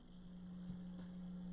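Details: Studio guitar pedalboard chain into an amp: a constant low electrical hum at one fixed pitch. It was later traced to the Strymon El Capistan sharing a ground with the Keeley Katana, and fixed by moving the Katana onto a shared ground with the TS-9.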